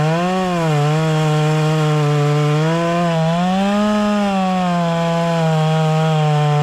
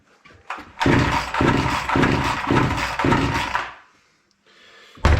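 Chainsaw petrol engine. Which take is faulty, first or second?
second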